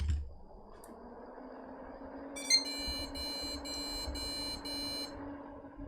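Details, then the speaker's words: Budget custom gaming PC with a single memory module in DIMM1: faint click, short chirp, then five quick high beeps over fan hiss, and it posts; odd beep pattern, same as before, cause unclear. "okay that did the same thing and it posted cool"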